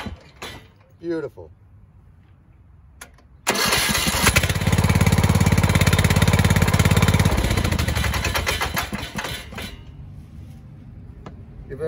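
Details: Neighbor's hard-starting lawnmower after repair, spark plug refitted: after a quiet spell it catches at once and settles into a steady, even chug of about three beats a second; starts and runs healthy.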